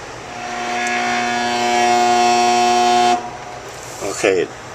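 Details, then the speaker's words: Kitchen heat pump outdoor unit, no refrigerant leaks found: a steady low electrical hum for about three seconds as the compressor draws 102 amps and won't turn, then cuts out on overload; compressor locked and damaged. "I just caught the tail end of it it did try and start again but it's drawing 102 amps and won't turn"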